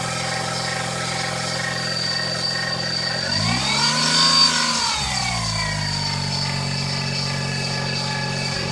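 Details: Daihatsu Terios Kid: steady high whine over the idle that rises and falls with a brief rev, tracking engine speed, traced to the alternator; worn alternator bearing, to be replaced with a rebuilt alternator.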